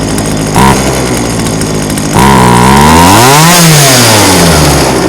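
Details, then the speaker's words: Old chainsaw unused about five years, being tuned at max carburetor adjustment: idles, then pitch climbs sluggishly and sags on throttle, bogging from incorrect mixture, then dies. "that's a little bit boggy let's give her a little bit more it died"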